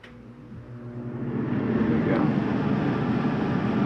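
A low, even rush swells up over a couple of seconds and then holds steady as the furnace blower spins up and runs normally.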